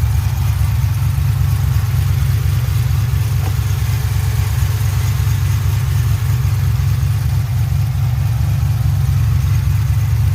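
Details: 2007 GXP with Sloppy Stage 3 cam, VATS and DOD deleted via HP Tuners, first start-up idle after retightening loose front rockers: lumpy choppy steady deep burble, no popping or ticking on top; loose-rocker popping now fixed, healthy idle.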